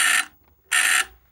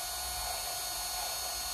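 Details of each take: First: Skywatcher EQ3 mount stepper motor giving two harsh buzzy quarter-second bursts that sound like grinding but aren't; stepper motor stalling, with poorly soldered D plug and unexplained continuity between two pins suspected, plug to be replaced. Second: Sky-Watcher EQ3 mount after worm-gear tuning on right ascension and declination axes, slewing to M31: smooth, steady high whine that sweeps down as the slew ends, no grinding or skipping; normal stepper motor slew.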